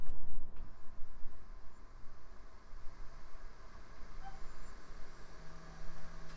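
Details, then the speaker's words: Optical drive in a 2000s Micron ClientPro PC during testing: quiet low hum with motor tone stepping up in pitch as the disc spins up quickly and evenly; drive works and sounds fast, healthy. "okay let's see if that optical drive works [Music] and it sure does"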